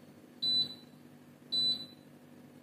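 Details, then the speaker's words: IKEA Tillreda portable induction cooktop with no pan on it: three short high-pitched beeps about a second apart in a quiet room, the hob refusing to heat without a load and signalling an error. "it's not very happy not having thermal Mouse on there"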